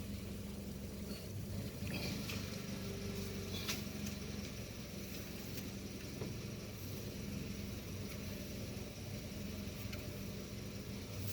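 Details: Toyota Vios petrol engine at idle; low, slightly uneven hum that wavers instead of holding steady: rough idle.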